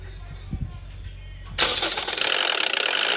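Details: Toyota 1NZ-FE 1.5 L engine at startup: after a low rumble it fires into a loud, harsh metallic timing chain rattle lasting a few seconds; fix is timing chain tensioner replacement, or full chain set if the rattle persists.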